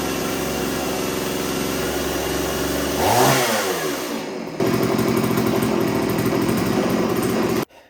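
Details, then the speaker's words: STIHL Wood Boss 024 AV chainsaw, brought in as a no-start and found flooded: steady buzzing idle, blips up smoothly and settles back evenly, carb tune being checked against the factory one-turn high and low settings; normal running. "right we're gonna check the tune on the saw it sounds halfway decent"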